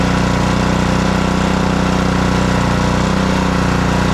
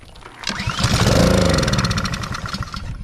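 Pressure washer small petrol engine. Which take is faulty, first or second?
second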